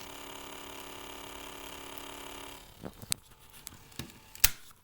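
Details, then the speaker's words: Sony WM-FX39 Walkman cassette player (1993), play pressed, mic held close; thin steady motor whir with no tape-drive sound, then handling clicks; motor spins freely, drive belts are bad and slipping. "so you can probably hear their the motor spinning and pretty obviously the the um the belts are bad so that's straightforward enough to fix hopefully on this model"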